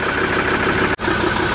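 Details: Ford Ranger diesel after automatic transmission repair, warmed-up idle: steady, even drone with no knocks or misses; running fine, no oil leaks underneath, though a glow plug code remains to be checked.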